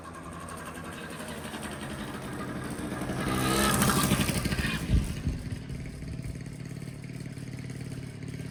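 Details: 1985 Honda Spree two-stroke scooter, after burning the carbon out of a plugged muffler that made it bog with no power: idles crisply, revs cleanly to a buzzing peak and drops back to steady idle, no stumbling.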